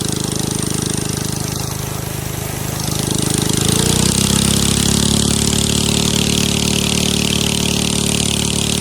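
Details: 7.5 hp gasoline engine driving a 6-inch two-way-intake water pump on a 6 m shaft starts and settles into a loud, even buzzing run; loudness is from its open racing pipe, exhaust not cracked; normal running.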